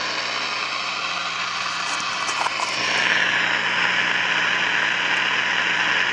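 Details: 1953 Crosley AA5 AM tube radio, no antenna, tubes warming up: loud hissy roar swells and holds steady with no station; owner rules out silver mica disease since pulling a part silences it, suspects the oscillator is running way off frequency.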